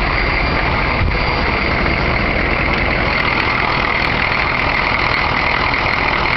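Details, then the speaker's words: 1993 Chevy diesel truck after replacing a broken valve spring that caused a miss, about 2,000 miles later: starts easily and idles evenly with only light diesel clatter, no skip or lope; normal diesel idle. "here it is starting up starts nice first like a kitten almost no shake I mean obviously it's a diesel"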